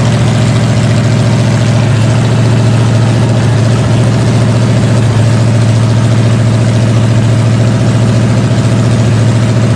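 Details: Freshly rebuilt 454 Chevy big block V8 with new pistons, from a 1973 Chevelle SS 4-speed, on a break-in stand: deep even rumble at steady idle, no knocks or ticks; normal smooth running, fine tuning still pending.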